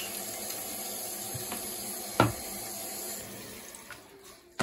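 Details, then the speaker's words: Toilet tank refilling after the fill/float valve was swapped, having been making a weird noise and raising the water bill: steady rush of water easing off toward the end, valve shutting off properly with no squeal. "okay that water was already there so we're just gonna wait for that to fill up and we're gonna do a test flush"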